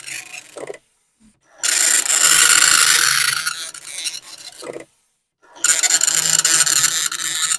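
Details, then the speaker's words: Commodore 1525 dot matrix printer for Vic-20/C64, never tested before, tractor-feed paper, running self-test mode with noise cover on: loud rasping bursts of rapid buzzing chatter, a couple of seconds each, quiet gaps between lines; normal printing. "here [Music] these things are loud this was the thing that was supposed to protect us from the noise and indeed it does do a little bit"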